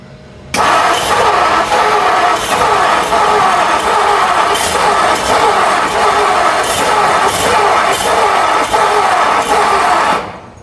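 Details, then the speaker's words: 1957 Ford Thunderbird, 312 Y-block V8 off the road 35 years, cold with choke closed and battery charger on: starter churns about one beat a second without catching while leaking fuel; owner suspects it isn't getting enough fuel. "We are leaking fuel. No, maybe it'll come around, who knows. But I'm wondering if it's just not getting enough fuel. Needs an extra drink."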